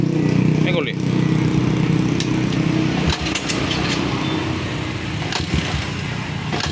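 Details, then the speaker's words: Yamaha Vixion single converted from failed fuel injection to carburettor with rewired wiring, first start after conversion: settles into a steady, even idle with low thrum, no stumbling or misfire; runs cleanly, normal idle. "Oke jadi setelah sudah siap kita hidupkan enak seperti ini"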